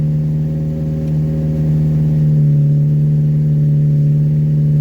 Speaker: And that's the choke going in. Is that a high idle? Is that 2,000 RPM? Wow. Sounds amazing.